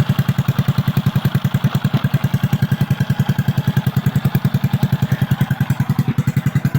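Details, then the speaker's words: Honda XRM/Wave/Dash single, kickstarted after repair of flood-water damage. Loud, blunt exhaust popping in a steady fast idle rhythm, about 200 beats a minute; the noise comes only from the cut-off exhaust pipe. "So maingay lang yung tabutso dahil putol yung tabutso."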